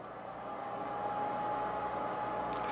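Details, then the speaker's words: PPS-2322 dual 32V/2A programmable power supply, no fan controller: steady airy whoosh with a faint thin tone rising at switch-on and staying flat, cooling fan on full blast from power-up, before adding a temperature-controlled fan controller. "this power supply doesn't have a fan controller which means the fan is on at full blast uh you know as soon as it turns on so let's take a look at that and it's actually pretty loud"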